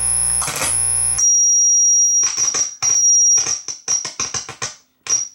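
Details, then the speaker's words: Marantz 1120 integrated stereo amplifier giving a piercing, steady high-pitched squeal through the speakers when turned on, from all sources. It crackles and cuts in and out as the jacks move: oscillation from oxidized dummy jumper jacks making a poor ground connection. "it's the dummy jacks that's one of the problems there is another it's these dummy jacks they're not making a good ground connection interesting it's what it's going to be is it's going to be oxidation on the plugs that's going to be the fault"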